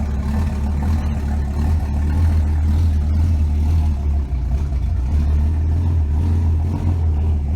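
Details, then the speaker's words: Car exhaust after replacing collector gaskets and torquing them properly to fix an exhaust leak; even, deep note with clean revs, no ticking or puffing; healthy exhaust, no leak tick. "hopefully no exhaust Lake oh it's so much better no"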